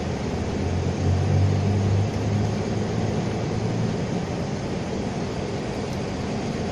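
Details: 2001 Ford Mazda pickup (same as Ranger) with code P0301, cylinder 1 not sparking after an engine wash. Rough idle with an uneven stumble, cylinders dropping out; the damaged ignition coil is not firing cylinder 1.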